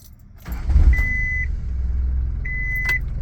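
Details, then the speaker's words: Honda Civic WagoVan with Weber carburetor being tuned, after a short drive: quick start, then steady low soft idle, two brief beeps; no longer diesels, runs fine, idle just a little low. "Well, sweet. See, the idle might be a little lower than it needs to be, but that's fine."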